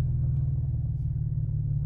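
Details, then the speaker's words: Engine with an intermittent cylinder 2 misfire despite new coils and plugs, now running with the aftermarket amplifier disconnected (owner suspects it overdraws battery/alternator): steady, even idle, no skips, scanner shows no misfires. Normal idle. "see if we're recording anything right now she's purring like a Kitt kitten"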